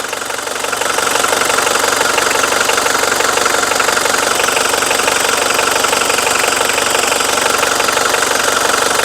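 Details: Mitsubishi Strada 2.5 diesel pickup, registered 1997 with a 2005 front conversion and a dry engine bay with no leaks. The idle clatter is steady, about three beats per second, with no misses or extra knocks. There is no white smoke, and it drives long distances normally.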